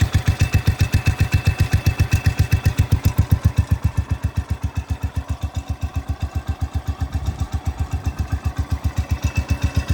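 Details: Cub Cadet 105 lawn tractor after a fresh oil change and carburetor change, about a minute after a cold start: steady, even thumping about four beats a second, no misses or knocks; normal idle.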